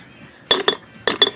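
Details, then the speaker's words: Old part removed from the truck during a stud replacement job, shaken by hand: sharp metallic clinks from loose broken pieces inside; it broke internally and is junk. "hear that it shouldn't be doing that it broke in there it shouldn't be rattling like that so you know junk"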